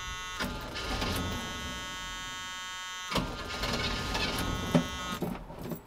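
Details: High-compression small-block Chevy 350, long sitting, jump-started with a portable jump box: starter whirs and churns unevenly for several seconds but the engine never fires; owner suspects it may be out of gas.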